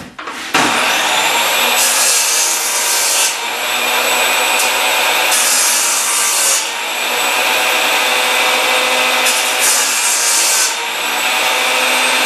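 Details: Craftsman table saw after repair with a new Sears plastic cup part: spins up cleanly and holds an even, steady hum through repeated cuts in wood; runs healthy.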